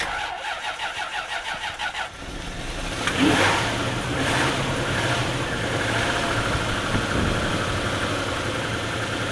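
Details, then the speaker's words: Knackered Lexus LS400 V8 engine-donor car with many MOT failures: about two seconds of cranking before it catches, then a rough, uneven idle, possibly not on all cylinders; long crank and rough start. "I think that's even started on more than half of its cylinders by some miracle."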